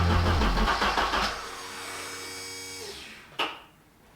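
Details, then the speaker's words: Abandoned Ford Sierra Sapphire RS Cosworth, not MOT'd since 2014: starter spins at a steady four beats a second for about a second, then fades without firing; cranks, won't start. "so as you can hear your fellas the car is just turning over turning over turning over it is not starting up so I'm starting to think there's something wrong"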